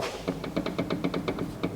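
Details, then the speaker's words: Ford Fiesta Mk7 EcoBoost salvage car, wheel rocked by hand: sharp evenly spaced taps about eight a second from a badly worn tie rod end. "The track red end bush is knackered. Absolutely knackered."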